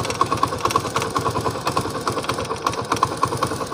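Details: Single-cylinder motorcycle idling after a tappet (valve clearance) adjustment: even, regular firing pulses with no tick-tick from the head. The earlier ticking noise is gone.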